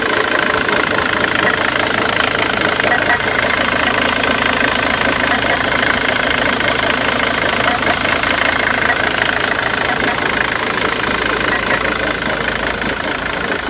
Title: Mondeo 2.0 tdci titanium 2006 rough idle